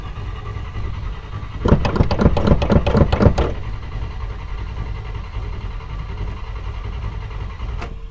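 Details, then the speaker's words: Classic Buick broken down on Route 66 near Kingman, AZ, plenty of fuel: starter cranks about four even compression beats a second without firing; lost spark completely, distributor suspected. "So we don't have spark. Lost spark completely. Why did we lose spark?"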